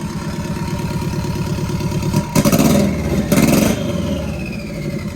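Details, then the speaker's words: VW Bug with Subaru engine swap, freshly got idling, ECU self-tuning and probably adding fuel, alternator reading about 16 volts; steady lumpy idle with two sharp throttle blips rising and falling cleanly, no knocks or misses, very aggressive sound; normal revving. "so everything's working good sounds really good very very very aggressive"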